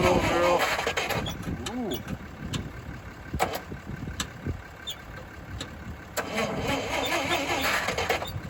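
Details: Lull machine that sat all winter, first try after fitting a Mopar slant-six electronic ignition module and distributor, top end primed: starter grinds in uneven bursts with a few weak coughs but never catches and runs.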